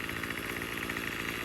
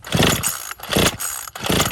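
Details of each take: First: Troy-Bilt TB35 two-stroke weed eater after replacing and tuning the new aftermarket carb: fast, even buzz at steady pitch without surging or stumbling; normal running. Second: Troy-Bilt TB35 two-stroke weed eater with new aftermarket carburetor, fuel lines, fuel filter and fresh gas, pull-started on full choke: sharp yanks, then catches and holds a buzzy high drone; uneven running, new carb not yet tuned.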